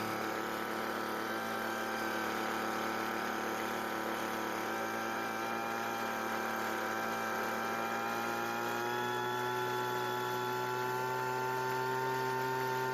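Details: Weedeater leaf blower, recently bought, that wouldn't start: smooth, steady two-stroke whine, then pitch climbs evenly around nine seconds as it revs; normal, clean running.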